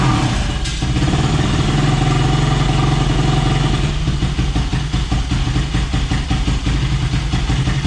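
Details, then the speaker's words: Yamaha YFZ450 (about 2006) first start after clearing a plugged fuel line: single-cylinder thumping at fairly steady, slightly uneven idle, no knocks or rattles; running, though carburetor likely not 100% and needs tuning. "well you have it guys she's running good i gotta fine tune it i don't think the carburetor is 100 on this thing"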